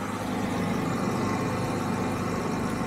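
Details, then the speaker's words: Jaguar XJ6 Series 3 XK six, warmed up at idle after cleaning the spark plugs to fix a rough, near-stalling idle: low, steady hum with no stumble or surging, wind in the background; smooth, no longer dying in gear. "very very smooth for an XK engine will it warm up a little bit longer and see what happens pretty much warmed up now and it's still nice and smooth"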